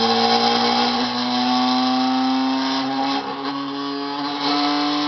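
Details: Home cream separator (écrémeuse) running after reassembly, before milk is poured in: loud, steady high-pitched spinning hum with a clean, even tone; separator running smoothly at full speed; normal run.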